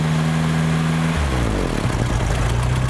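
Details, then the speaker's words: 1975 VW Shorty bus that sat over 20 years, just after fouled spark plugs were pulled and cleaned: cranks about a second, catches and settles into a low, slightly lumpy but steady idle with no misses; runs fine, slight smoke. "All right. There she is. Amazing what some spark plugs will do."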